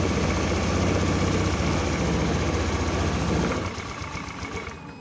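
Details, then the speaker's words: Honda Scoopy PGM-FI scooter after piston replacement: steady, even smooth idle with no knocks, oil circulating and no exhaust smoke; normal running. "Jadi ini motor sudah dipastikan aman ya, sudah halus. Kita bunyikan lagi."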